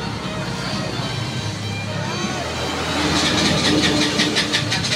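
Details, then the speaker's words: KTM Duke 200 that misfires and won't stay running: the starter cranks in quick even pulses, about three per second, and the engine doesn't catch or dies. Suspected causes are a dirty throttle body, to be cleaned first, and no power at the ignition coil. "So ayan, papansin niyo hard starting. So aandar siya mo aso lang mamamatay magtuloy."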